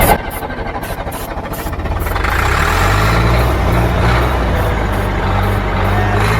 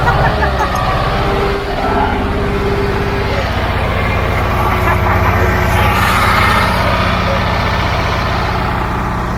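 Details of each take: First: Old Caterpillar diesel, sprayed with starting fluid, fuel filter leaking, owner considers bypassing it; slow uneven cranking about three turns a second, picks up briefly but never catches; fuel not reaching engine. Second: Old Caterpillar diesel just started after bleeding injector lines; steady low rumble with even beat settling into clean idle, no misses or stumbles; running properly.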